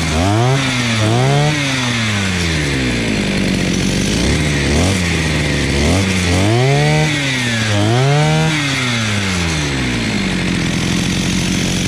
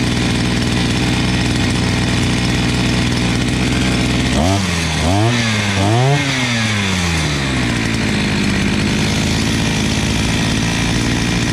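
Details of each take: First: Imported 43 cc two-stroke brush cutter after carburetor adjustment (upper screw 1.5 turns, lower 2 turns, idle lowered): revs up and drops back cleanly, then holds a steady high buzz; correctly tuned, running properly. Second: 43cc imported brushcutter, carburetor mixture screws set about one and a half turns out: steady high buzz, then revs surge and drop three times in uneven swings before settling; carburetor out of adjustment, later set to one and a half and two turns.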